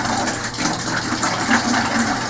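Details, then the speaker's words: Modine 33,000 BTU hydronic unit heater tied into a hot water boiler, purging through a washing machine hose: rushing, gurgling water with bubbly splashes as air is pushed out of the lines; normal air purge. "we're just gonna crack this and start letting some arrow which is going to allow cool water in yeah can you hear the water moving"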